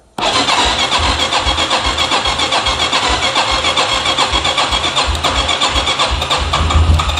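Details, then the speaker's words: Wilderness ATV with an ethanol-ruined carburetor, after carb work, on full choke: a brief crank, then it catches into a quick, steady single-cylinder putter. The earlier rattle was tools. Normal starting. "Come on, baby! Yes! Woohoo! Keep going. Oh, I can't believe this. You gotta be kidding me. It works. I thought this thing was dead."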